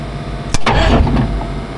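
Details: FV432 troop carrier, batteries charged, fuel pump running, in neutral: sharp click as the solenoid pulls in, then a short strong, even burst of cranking; starter and fuel control working properly.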